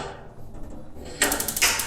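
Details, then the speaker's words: Instant gas geyser, turned on and tipped over to spark: quiet, then a sudden sharp tick with rapid igniter clicking after it; the tick comes from the gas valve, showing it opens normally. "टिक वाला जो आवाज़ है ये इस गैस वाल की है।"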